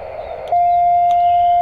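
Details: Elecraft T1 portable QRP auto antenna tuner: one clean, mid-pitched beep about a second long in a quiet room, signalling the tune cycle normally while the button is held; tuning seems to have succeeded.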